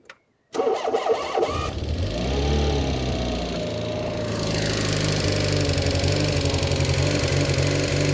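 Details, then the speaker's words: Renault 4 former French police car: catches and settles to an uneven, lumpy idle about four pulses a second; rough running, owner suspects plug leads and spark parts need changing, possibly lifters. "it's not running completely clean which makes sense I think the leads and the spark block needs to be changed"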